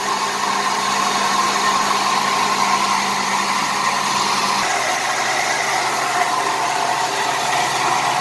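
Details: 1988 Buick Reatta 3800 V6 started after sitting 10 years: uneven lumpy idle with occasional stumble under a hissy background; owner suspects an injector given raw fuel, misfire at idle.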